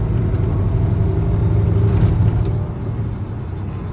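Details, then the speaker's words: 2011 VW Golf 2.5 automatic under heavy acceleration: deep uneven low shudder that smooths out when easing off the gas; not wheel balance, driveline suspected, CV joints or engine mounts considered, unconfirmed. "That is so weird. Gosh, All I gotta do is ease up on the gas though, and it smooths right out."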